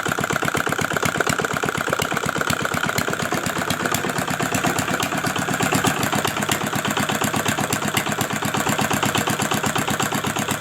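Steady, even single-cylinder thump at about three beats a second, no knock or rattle; runs healthy and smooth.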